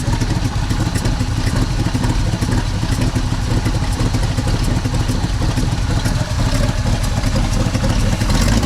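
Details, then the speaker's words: 1964 Chevy C60 grain truck, 327 V8, long parked on a ranch, first start, likely running off fuel left in the carburetor, exhaust pipe loose; deep, steady rumble with an even lope and no knocks or ticks. "I think it's just running off of what's in the carburetor right now another 327 runs"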